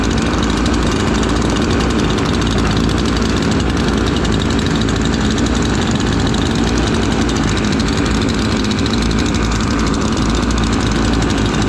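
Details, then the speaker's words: Two freshly built chainsaws, a ported Husqvarna 543XP and a Cologne 843, idling together during break-in: burbling doubled-up beat, both four-stroking rich as wanted until broken in. "They're both four-stroking, which is good. Keep them four-stroking until you run them a little bit."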